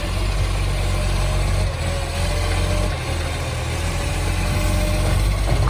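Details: City of Joondalup green waste truck SL070: deep, loud, uneven raspy roar at idle from a massive exhaust leak.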